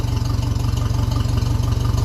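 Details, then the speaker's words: 1957 Ferguson 35 TVO tractor idling with a vertical exhaust fitted: slow, even idle with a sharp puffing chuff on each firing stroke as exhaust still leaks at the pipe joint; needs working down onto the sleeve. "yeah we're still leaking away they're good off yeah so this going to be a matter of working that down onto the sleeve that I made and"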